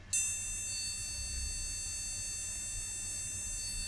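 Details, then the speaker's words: Retro car-boot PC at power-on after a solder repair: one continuous high-pitched beep held almost four seconds, a long BIOS POST beep; a RAM problem is suspected, not confirmed. "Probably a RAM problem, long bleep like that. Yeah, this sounds like it has some issue with the RAM."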